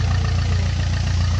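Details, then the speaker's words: Maruti Suzuki Swift diesel, about 154,000 km, after timing kit replacement to cure knocking noise: steady, even idle with a smooth low rumble and no knock or chain rattle; normal diesel idle. "देख सकते हो अभी अपनाय गाड़ी एकदम पूरा silent है पले जो आवाज आ रहा था पूरा करके आवाज आ रहा था न था इंजन का वराम साइलेंट हो गया"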